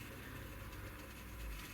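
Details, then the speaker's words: Tri-ang Class 08 diesel shunter creeping at slow speed on an ancient Tri-ang controller. A low, steady, coarse buzzing hum from the motor; the owner thinks it sounds almost like half-wave drive and says more research is needed on the cause. Motor buzz at slow speed. "there's something going on in this ancient try and control this a bit more research will be needed on that that's certainly sounds to me like it's almost on half wave"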